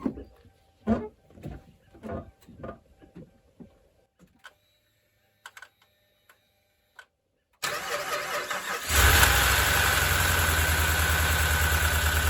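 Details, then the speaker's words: Replacement Hemi V8 in a used truck first started in the truck after sitting a while, no coolant yet, aluminum heads: cranking, then loud busy idle with fast light ticking; owner hopes it quiets down. "not too bad sounds a little loud right now but it's been sitting for a while so we'll see if it comes out of it"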